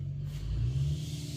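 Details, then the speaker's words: LS-swapped 1990/1995 Chevy OBS truck: fires on the key but deep lumpy, uneven loping idle, not running on all eight cylinders; misfire, plan to change two injectors on the rail; a torn spark plug wire was already replaced. "it runs it fires up it sound you know it hit on the key and all that good stuff it just ain't running on all eight cylinders"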